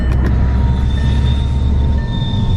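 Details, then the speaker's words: High-mileage Volkswagen TDI with DSG automatic transmission on a test drive: a steady diesel drone whose whine pitch steps down once with no clunk or flare. It is a smooth, normal shift. "We just want to make sure that it's shifting smooth. So far, so good."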